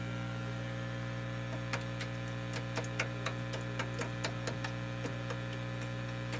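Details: Realistic STA-2100D amplifier back on warranty, after replacing feedback-loop capacitors, input off and volume up: low steady mains hum, faint hiss, light ticks; rumble gone, normal.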